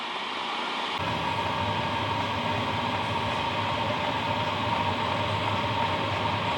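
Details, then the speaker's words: New HCalory Toolbox 2 diesel heater at level 10 via remote, ramping to full speed around 97-104°: steady even fan roar with a faint whistle near 1 kHz, no pulsing or popping, still quiet; normal running at full power. "it is ramping Up full speed now 97° and it is still quiet that is at level 10"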